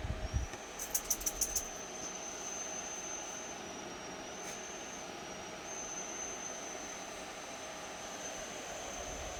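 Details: Dyson Pure Hot+Cool HP04 purifying heater and fan, sides bulging, makes a thin, steady high-pitched whistle over the soft rush of the running fan.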